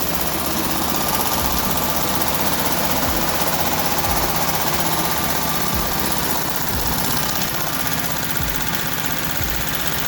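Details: VW Type 1 air-cooled 36hp, reassembled after suspected bad bearing or rod knock turned out to be the pushrod guides: busy even clatter about four ticks a second over steady idle, typical valve noise; running normally.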